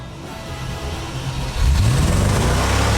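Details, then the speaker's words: Range Rover starting: catches, settles, then revs cleanly with no knocks or misses. It runs beautifully. "Well, that is fantastic. Johnny's not wrong, it runs beautifully. Now, I know I shouldn't rev it too much, but come on, this is just brilliant."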